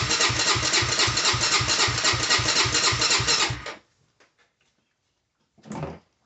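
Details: Honda 400EX ATV that cut out while riding, key on with fuel: steady starter cranking about four beats a second for several seconds, never catching; crank no start from faulty loose, weak spark plug, fixed by replacing plug.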